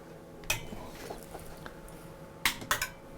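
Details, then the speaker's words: McAllister MW160 arc welder, dead after the owner replaced its fan: a few sharp irregular relay clicks at switch-on with no working hum, nothing runs inside; cause suspected, not confirmed, possibly the replaced fan. "you can see some clicking and nothing is working inside."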